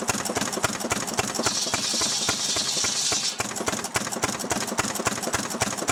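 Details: Restored 6hp Fairbanks Morse Model Z engine on kerosene driving a buzzsaw cutting firewood: slow, even firing beats about three and a half per second with a saw bite mid-clip; pulls steadily, normal healthy running under load.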